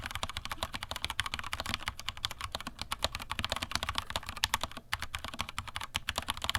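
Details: Vortex Cypher keyboard, stock Cherry MX Silver linear switches, stock keycaps without o-rings, microphone moved down, bottomed-out typing: quick crisp clacks with no ringing or metallic ping after strokes; normal typing, no spring ping.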